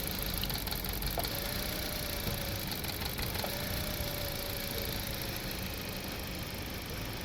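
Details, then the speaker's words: 2016 Toyota Corolla Grande 1.8 four-cylinder after fixing the misfire, checked at the exhaust: steady, even idle, no stumble or skipped beats, all cylinders firing; normal idle. "बिल्कुल ठीक है, अब बिल्कुल काम करे। अब पीछे सिलेंसर आपको चेक करवाता हूँ, कोई मिसिंग नहीं होगी। गाड़ी अब बिल्कुल फिट हो गई।"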